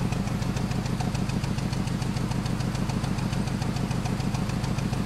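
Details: 2010 BMW 320i 2.0 16-valve with check engine light on and heavy exhaust smoke: rough, uneven, stumbling idle with engine oscillating; misfiring idle.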